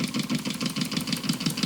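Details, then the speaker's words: Homemade single-acting oscillating (wobbler) steam engine, runs fairly slowly: even steady puffing about six beats a second with no knocks or misses; running smoothly and healthily. "there it is a little wobbler or oscillating engine as we call them this one runs uh pretty slowly for a single acting"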